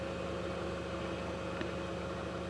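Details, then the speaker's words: 2009 VW Passat 2.0T GDI after fixing intermittent stalling and no-start caused by a faulty fuel pump module dropping its signal: quiet, steady idle with constant pitch, no stumbles; fuel pressure steady at six bar after 5-mile drive, confirmed fix. "can see our pressure is steady at six bar and I've had this vehicle running for a while now drove it 5 miles so this is a confirmed fix"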